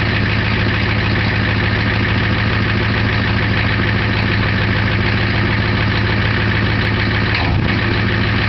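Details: 1990 Ford F-250 7.3 IDI diesel at idle with two bad injectors: loud, clattery idle with an uneven, lumpy beat around three a second, rough running from the failing injectors; misfire.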